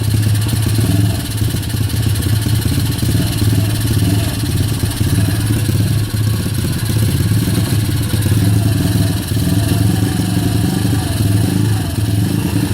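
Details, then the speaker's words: Kayo YX140E Klassic pit bike single-cylinder engine, throttle held in one position, revs dancing from 2.5 to nearly 1,500: surging and sagging unevenly; hunting idle speed, cause not yet found. "Ручка газа открыта в одном положении. Обороты пляшут от 2,5 до почти 1500."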